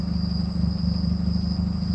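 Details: PT Cruiser with 225k miles at idle: dull regular low knock pulsing with each firing stroke; owner suspects piston slap, cause unconfirmed.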